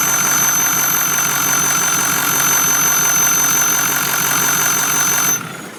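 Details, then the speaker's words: 2006 Ford F-350 6.0 Power Stroke diesel, SCT-tuned with an EGR delete and 4-inch catback, idles evenly under a loud, steady high-pitched whistle from under the hood that then stops abruptly; the cause is unknown. "so this is the uh very loud and obnoxious whistling sound I've got coming from under the hood of my six L"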